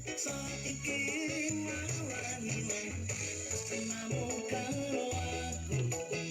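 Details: Active speaker with 8-inch driver after repair (139/140 transistors replaced with DP 4142, burnt 330 ohm resistor and cracked final transistors replaced, rails about ±20 V DC): music full and clean, steady bass, clear highs, no crackle or distortion; sound normal.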